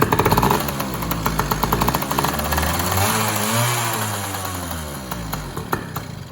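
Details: Yamaha PW80 two-stroke with replacement carburetor, stripped air screw; buzz revs up and sags unevenly, surging and won't settle to idle; owner suspects air leak, unconfirmed, after switching carb about four times.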